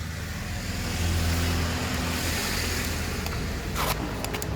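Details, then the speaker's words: Honda Magna 750 starter motor, connected to a battery after its brushes were replaced and it was cleaned (an oil-seal leak had let oil in): steady, even rumble with no knocks or misses. It runs well. "(Động cơ hoạt động tốt.) Tôi sẽ đi lần nữa !! Nó chạy tốt ... chỉ cần nghe thấy âm thanh !!"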